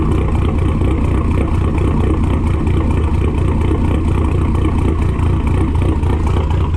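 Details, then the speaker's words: SRT-4 with stock cams, engine recently swapped in from another car, throwing code P0016. Uneven, lumpy idle of about four beats a second that sounds cammed. Suspected jumped timing belt, i.e. cam timing off. "sounds pretty good all right so the only problem is this car has stock cams and it sound like that"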